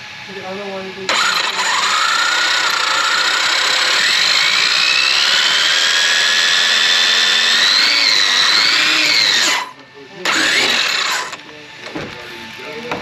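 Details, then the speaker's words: Traxxas X-Maxx RC truck after the gears were replaced following a tight-mesh inspection; the gears are not chipped. A high, steady whine rising as the motor spins up; it is still almost as noisy, with a naturally noisy spur gear. "still almost as noisy and the gears aren't chipped and nothing is wrong with them this is just a noisy one"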